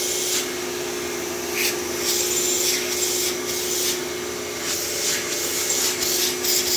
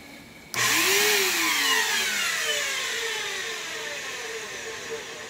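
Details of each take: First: Traded-in, dusty vacuum cleaner (Phantom/Thunder type) switched on: it puffs out dust, then runs with a steady, even motor hum and airy rush, no rattles, sounding like new. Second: Vacuum cleaner that sat in a damp shed, brushless motor bearings worn and the brush roll locked up: the motor spins to a high, shrill, gritty whine that wavers and is getting worse over time. Worn motor bearing noise.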